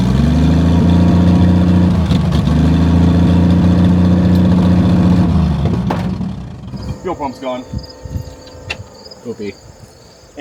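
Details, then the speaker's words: 1959 Ford Edsel V8 after sitting over a decade: rough loud idle with sharp exhaust puffing tick for about six seconds before dying; large exhaust leak. "it has one hellacious exhaust Le like usual it's definitely one of our vehicles isn't it"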